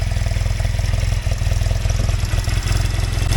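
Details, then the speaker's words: Yamaha TX750A parallel twin on a very hot day: steady lumpy idle with light, quick ticking from tappet adjusters, considered normal clatter rather than anything deeper. "you can hear it ticking a bit but I do have um tap it Adjusters in there that do make this clicky"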